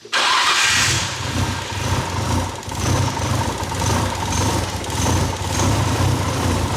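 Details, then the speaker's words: Nissan R34 GTR after reassembly with idle screw set: fires at once then idles quietly with slow rise-and-fall lope in deep rumble, no knocking. Lopey idle, aggressive cam style. "It's actually really quiet. It's not that loud. Dang, dude, this thing's got a lope."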